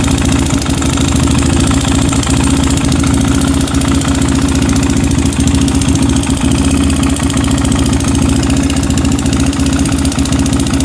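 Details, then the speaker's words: Honda 400EX single-cylinder quad before top-end rebuild, bought with no airbox, oil found bone dry then topped off and smoked badly: steady lumpy idle with faint light tick on each firing; not smoking now, owner suspects oil starvation, cause unconfirmed. "Yeah, you can hear it has the romantic tick. It's not smoking now, but I don't know, maybe out of oil."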